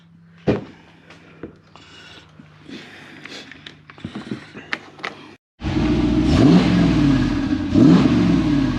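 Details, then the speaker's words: 2014 2WD Toyota Hilux with LS2 6-litre V8 swap, on certification day after an adjustment: quiet clicks, then two strong, clean rev sweeps with no rattle or tick; sounds better, healthy. "definitely better yeah that sounds better"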